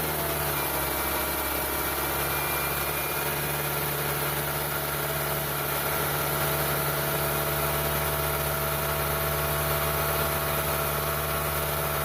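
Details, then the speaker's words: Toyota 1ZZ four-cylinder just rebuilt and reinstalled, first start-up with new oil, coolant, transmission fluid, water pump, radiator and torque converter seal: smooth even idle with steady low hum, no knocks, ticks or misses; sounds healthy. "So far it sounds pretty good."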